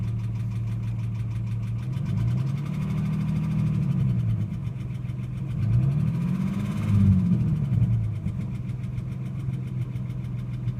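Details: Ford AU XR6 idling: steady low drone with a faint uneven knocking about three times a second and a pitch that swells and dips; noise only appears after revving above 4000 rpm, fading over about 5 minutes; cause unidentified.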